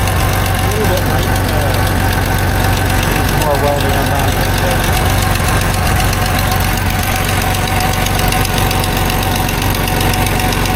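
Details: 1989 Dodge W100 at idle after exhaust pipe welding: rapid uneven tick or puff over the low rumble, about four a second; suspected exhaust leak near the O2 sensor, not confirmed.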